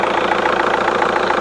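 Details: VW Golf GT TDI diesel, off the road since January 2020, radiator burst so no coolant added: even diesel clatter about seven beats a second, steady, no knock or misfire; healthy idle.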